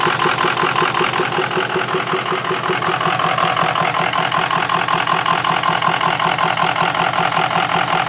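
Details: Diesel at steady idle with an uneven, lumpy clatter repeating about twice a second; owner suspects bad injectors or stiction, cause unclear.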